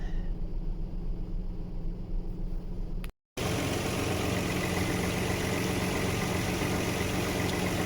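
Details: 1995 Nissan D21 Hardbody, VG30E V6, after a fix for idle surge (randomly 1,000–2,000 rpm): the AAC/AIC valve was bypassed by removing its elbow and blocking it with 2 bolts. The idle is now even and steady with no rise and fall.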